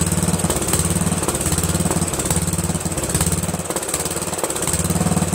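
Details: Briggs & Stratton 13hp flathead single-cylinder on an MTD Cub Cadet lawn tractor, after carburetor replacement; steady even thump at fast fixed speed, no misses or surging; running clean, owner pretty impressed.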